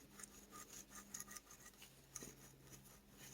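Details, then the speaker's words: Dolmar 7300 chainsaw during rebuild: gritty, scratchy rasp comes and goes as the crankshaft bearing is rolled by hand; bearing rough, possibly with rough spots or metal inside. "this bearing is probably oh no that bearings toast I don't know if you can hear it there's some"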